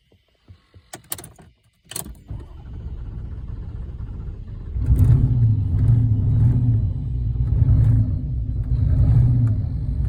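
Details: Chrysler 300 cranking: after some handling, the starter turns the engine over in an even churning rhythm, but it never catches; crank, no start.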